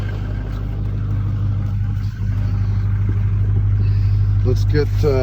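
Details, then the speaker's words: 2003 GMC Sierra Duramax diesel, first start during post-accident rebuild with fluids checked: steady low diesel rumble at idle with even pulses, no knocks or misses; runs normally. "Sounds like it's running."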